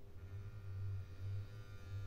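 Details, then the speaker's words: Mehano model locomotive with its original can-type motor: faint steady low buzz with a thin whine, the typical Mehano buzz of the original motor. "that's what I call the manano buzz so that tells you that this has its original motor"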